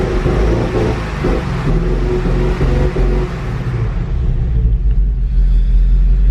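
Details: 2015 Ford Mustang GT rebuilt after a wreck: check engine light on, deep idle rumble wanders up and down by itself with no throttle input, engine "revving and stuff"; unstable surging idle from faulty PCM.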